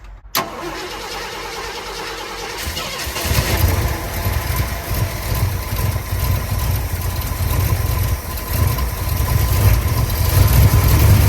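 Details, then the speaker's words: 1965 Ford F100 body on a 1974 chassis with a V8, supposedly a crate 390, and an automatic transmission: a lumpy idle that surges and hunts. The owner suspects a major vacuum leak, possibly at the intake. "For a minute there, it seemed like I was getting a lot more throttle response. It still sounds like I got a major vacuum leak. I wonder if it's my intake."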